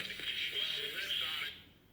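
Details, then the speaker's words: 1960s Volt 2-transistor radio after repair: loud sound drops sharply quieter at one point while turning volume knob; suspected gap in volume control's resistive coating; volume control jump. "i'll show why it gets so much quieter right there and there's a jump right there unless they didn't coat the resistive coating all the way to the end or something"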